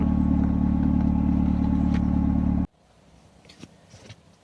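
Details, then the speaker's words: Mercedes SLK R170 that wouldn't start with all warning lights on: with light-unit wires unplugged and battery reconnected it starts at once, smooth even idle for a few seconds before switch-off; fault was the light switch, fixed by replacement. "Lähtiskö käyntiikii? Sehän lähti heti"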